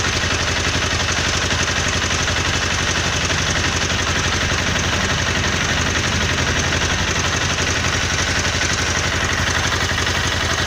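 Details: Honda CBR 250R single-cylinder motorcycle idling with a sharp, regular tick-tick clatter over the engine note; cause unknown.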